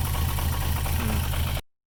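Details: VR6 engine in swap project, smoke from PCV valve, throttle being cracked slightly to keep it running; short stretch of low, uneven, lumpy, shaky idle before it cuts out; rough idle, cause unclear.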